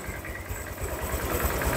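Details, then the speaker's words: Honda Vario 150 scooter engine reassembled after overheating, fast coolant loss, oil loss and rough running; idling while warming until thermostat opens and coolant circulates, checking for leaks. Light even single-cylinder putter rising slightly as it warms, no ticks or knocks; normal idle. "ya tunggu beberapa menit kan hidupkan tunggu beberapa ee tunggu beberapa menit biar terbuka seperti ini ya"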